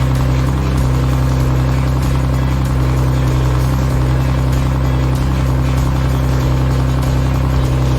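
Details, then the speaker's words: BMW E46 turbo after the earlier noise went away. Steady, even engine drone with a smooth low hum and no knocks, ticks or hesitation; AFR looks perfect. Normal running. "as you can see, the noise is gone. We're running, baby, we're running. AFR is looking perfect. That thing is running good."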